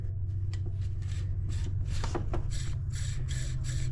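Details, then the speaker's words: Jeep engine-bay idler pulley spun by hand gives a dry, gritty rasp in repeated bursts with no smooth free-spin; the idler pulley bearing is worn and rough, causing the squeak. "all right folks we have determined that this idler pulley"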